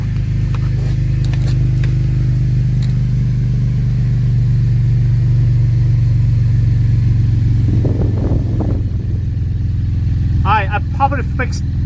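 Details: Gen2 Chevrolet Traverse at idle: deep, uneven exhaust rumble with a loose puffing edge, from an exhaust leak at the pipe joint between resonator and muffler; fixed with new nuts, bolts and gasket.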